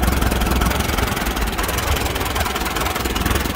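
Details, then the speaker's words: Allis Chalmers WD tractor with ignition timing set retarded at the distributor, low lumpy chugging idle worsening with throttle, sounding like dirty carburetor or bad ignition; rough idle from retarded ignition timing. "that idol is not bad but it kind of gets a chugging effect to it and then obviously as throttle increases that gets worse"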